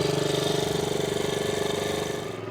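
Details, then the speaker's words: 1963 Honda Sport 50 (CA110) single pulling away on first ride in years: quick, even putter with steady beat, no misses or knocks; still needs tuning dialed in but runs healthy. "I got a little ways to go tuning wise. This thing still needs kind of dialed in, but it is starting right up running amazing."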